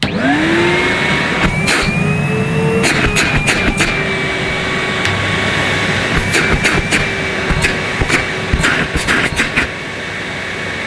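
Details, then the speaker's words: Henry Pet Pro vacuum cleaner made in 2021 on high power: steady high motor whine with rushing air, pitch settling after spin-up, no rattles or grinding; smooth-running healthy motor. "so this is what the henry pet pro sounds like still a very nice smooth running motor and here's henry"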